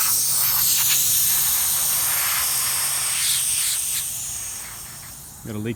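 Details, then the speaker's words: Magna Force air compressor under repair, building toward 160 psi cut-off: steady high airy hiss with no motor rhythm, air leaking from a pipe suspected bent over when the unit was moved. "there this pipe probably got bent over at some point when this thing got moved around you see if I can this up see if it'll stop leaking"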